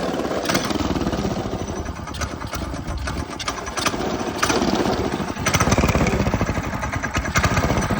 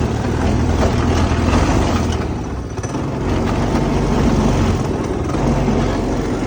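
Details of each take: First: Go-kart small engine after installing a new 30 mm carburetor: revs freely with quick crisp throttle response and steady rattly exhaust beat, no misfire or stumble; runs healthy with much more power. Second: Go-kart small engine with newly installed 30 mm carburetor: revs hard but unevenly, note sagging and surging; something was plugged and needs tuning, cause not yet confirmed.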